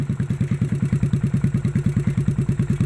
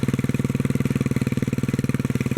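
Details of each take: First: 1957 Bolens tractor engine, fuel pump bypassed with a gravity-fed tank, governor not reaching idle: a steady single-cylinder thump at about six beats a second keeps running when the kill button is pressed. The kill switch is faulty. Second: 1957 Bolens single-cylinder after removing fuel pump, governor work and cleaning kill switch, fuel tank refitted: steady even fast idle, about twenty pulses a second, governor slows it on start; runs well, with a rattle believed to be in the muffler.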